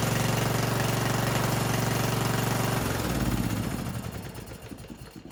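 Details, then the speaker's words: Yard Machines riding mower (2000) after cleaning the gas tank, new fuel line with shut-off and screen, tightened motor mounts and oil change: catches and holds a steady, even putter with no misses or knocks, then winds down; normal running. "So it runs pretty good."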